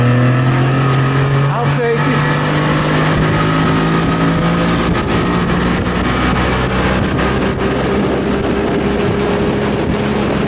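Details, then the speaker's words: Old outboard after new fuel pump, fuel line, primer bulb, timing, link sync and carb reset for stalling and bogging; steady even buzz holding one pitch, no hesitation, surging or stumbling; running normally. "no hesitation she sounds good baby my problem it's the fuel pump"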